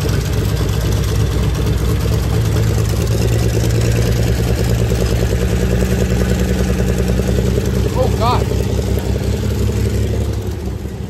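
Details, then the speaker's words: 1986 Pontiac Fiero GT sitting for several years, first start after bypassing over the top: uneven stumbling putter at idle with irregular misses and a shaky rhythm. Owner suspects the ignition switch, not confirmed. "I'm going to go ahead and say it's an ignition switch I mean it wasn't running radio it was puttering so I didn't know what to I didn't know what to expect"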